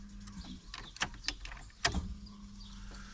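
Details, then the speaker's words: Jeep Cherokee dormant for 8 years, refilled with about four and a half gallons of fuel: after key-on, a steady low hum under a few clicks as the fuel pump primes, cycled a couple of times; normal priming. "first thing I want to do is hear that fuel pump go yep there it goes just going to do this a couple times to kind of prime the pump"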